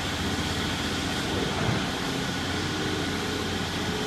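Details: Heavy demolition machine holding a harsh rattling roar under load with a coarse grinding edge; the problem is the machine itself, not the shear, and sounds expensive; abnormal machine noise, cause unknown.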